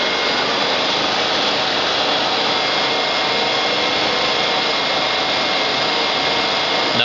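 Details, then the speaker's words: Electric AC compressor in a Nissan Sentra converted to electric, 120 V battery system: smooth steady high whir with no rattles or knocks; owner notes it starts slowly, unsure if that's a problem, but runs normally. "the compressor is is starting I I hope you can hear it it also starts really slow I don't know if that's a problem but the compressor starts slow"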